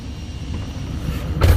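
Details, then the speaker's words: 2012 Ford F-250 Super Duty 6.7L Powerstroke turbo diesel, 18 months on AMSOIL 5W-40 Signature Max Duty synthetic after an engine flush: at startup a low, soft, steady idle rumble with barely any clatter and a brief knock. It is very quiet. "i want you to hear how quiet she is take it take a listen and we'll do a little startup i want you to hear this thing start up how quiet it is crazy how quiet this thing is"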